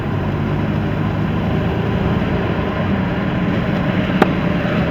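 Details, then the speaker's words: 1985 Buick Grand National (turbo) accelerating at only half throttle on the road: a smooth, steady engine drone over road noise with no misses or knocks. It pulls cleanly and sounds healthy, despite the usual rear main seal leak. "That was only half throttle, you guys, and it's got plenty of get up and go if it needs to, you know."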